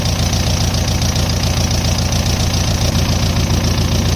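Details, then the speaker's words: 1.9 ALH TDI turbo diesel swapped into a Dodge Ram 50, idling after running out of fuel and bogging out: steady diesel clatter with no turbo whistle; boost reportedly not reading, so the turbo is suspected of making no boost. "I don't hear the turbo in any way, shape, or form, which is kind of what I expected. I don't think that thing's getting any boost, which is what he said."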